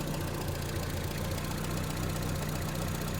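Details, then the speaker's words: 1975 MG Midget 1500 after its starting fault was fixed, with strong spark, running on an aftermarket kit coil pack. Steady, even tick-over at 650 to 700 rpm, lower than it has ever idled before, so this is a normal, healthy idle. "she's ticking over yeah she's ticking over between 650 and 700 RPM which is about where she should be I've never been able to get it tick over that low"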